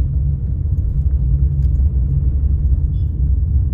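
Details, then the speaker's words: Car on factory-fitted Goodyear tyres, coasting off throttle on asphalt with windows closed: steady low droning roar; excessive tyre road noise, owner attributes it to old, aged tyres that still have tread. "तरी आवाज पाहू शकता तुम्ही. खूप जास्त noise आहे, कारण की आता जुने झालेत फार जास्त टायर."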